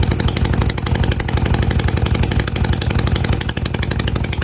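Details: Honda CB250 Nighthawk twin idling after refitting the exhaust bracket to fix an exhaust leak and fresh oil change: quick, slightly uneven popping beat about two pulses per second, no obvious exhaust ticking.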